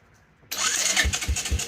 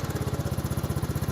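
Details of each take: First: 1984 Honda Big Red 200ES, just refitted with the old coil after a new one was suspected faulty: starter cranks at about four even compression pulses a second, never catches; owner suspects no fuel reaching the engine; cranks but will not start. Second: 1984 Honda Big Red 200ES three-wheeler with starting trouble: once warm it idles with a steady, even single-cylinder putter, no misses or knocks.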